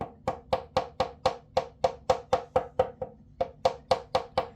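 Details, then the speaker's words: Violin body gently tapped around the purfling to find a buzz: light taps about two a second, some giving an extra slapping click where the plate lifts off; open seam needing gluing. "there's almost an extra clicking, like a slapping kind of sound. So this is actually the open section right here."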